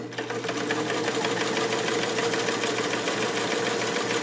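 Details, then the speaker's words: Vintage Cool Blue Sovereign sewing machine with 1 amp motor, stitching fabric edge forward; smooth rapid needle chatter over steady motor hum, no knocking or binding; normal running. "Oh, listen to that girl sing. I wonder if it's stitching. It's running through there."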